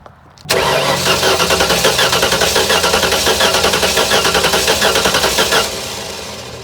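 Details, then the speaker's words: Junkyard 351W V8 with eBay turbos, smoking despite new valve stem seals, cranking with plugs in before compression test: lopsided chug with one beat lighter each cycle; one cylinder low on compression, later 80 psi, suspected bad cylinder head. "I'm about to take out the spark plugs on this side and do a compression test but if I just crank it we can hear it has a low cylinder [Music] [Applause] at least one cylinder"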